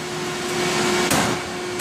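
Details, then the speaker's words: Large press brake with a 5-inch V die rated 100 tons, run at 550 tons trying to bend one-inch 17-4 plate: steady hydraulic hum with two sharp cracks about 0.7 s apart as the overloaded frame cracks. The plate does not bend. "oh yeah The Machine's literally cracking okay better stop better stop"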